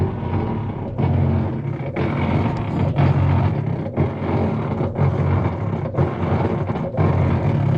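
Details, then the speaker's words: Whirlpool top-load washer making noise and not washing, lid switch bypassed: low growling drive noise with a thump about once a second while the lower agitator fails to turn; worn agitator drive gear. "Vamos a decirle cuál es el problema cuando tienes ese ruido y que no está girando el agitador este de abajo."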